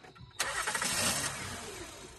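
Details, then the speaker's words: 2010 Honda Odyssey at the roadside at night: engine catches with a sudden burst, then sags and dies instead of idling. Spark present, air filter clean; owner suspects a faulty mass airflow sensor starving it of air. "The air filter was clean, but the way the engine shut down felt like it was being suffocated. My suspicion immediately fell on the mass air flow sensor or math."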